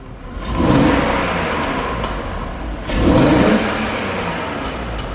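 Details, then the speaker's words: BMW E46 returning to the road after long repairs, codes show system two lean and misfire detected with low fuel: engine surges twice with rough, lumpy rumble between; misfiring. "oh we got a few problems oh it's really misfiring now okay the engine's rumbling"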